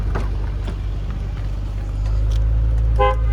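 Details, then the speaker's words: 1999 Nissan R34 GTR, started cold, at idle; short clear horn toot over steady low idle, horn works normally. "that works. I'm sure the neighbors love that."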